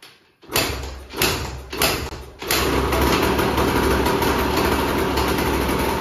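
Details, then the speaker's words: 2004 Husqvarna WR125 two-stroke with a fitted KTM 300 final silencer and the power valve not working: it catches after a few quick kicks and blips, then settles into a crisp, even, healthy-sounding idle. "psu foarte bucuros că am fost motocicletă și că motorul se aude bine dar nu o să dau o tură cu ea pentru că după cum am spus Power valve nu funcționează"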